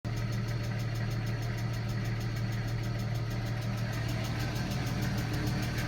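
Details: 1995 BMW E36 M3 S50 inline-six at idle: fast, light ticking riding over the steady engine note, suspected lifter tick.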